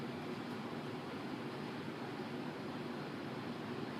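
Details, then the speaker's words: 1988 Lakewood 20" box fan model 223/M with McMillan motor, bent and rusty but runs, before restoration: steady soft whoosh of air with an even low hum, no ticks, rattles or wobble; running smoothly on low. "Run's really good K it that's medium and lastly we'll kick it up the house it's pretty good here J pretty good"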